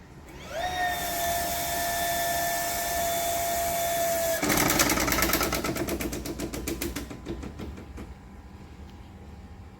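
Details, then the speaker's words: Home water supply pump piping: when a tap is shut suddenly, pressure surges back to the front manifold, giving water hammer, pump whine cut by a loud shudder and rapid pipe rattling, then pump restarts. "Pada saat keran air ditutup kembali secara tiba-tiba, akan ada terjadi hentakan tekanan air kembali ke area sini, ke area manifold yang ada di depan sini. Itu sangat berisik sekali."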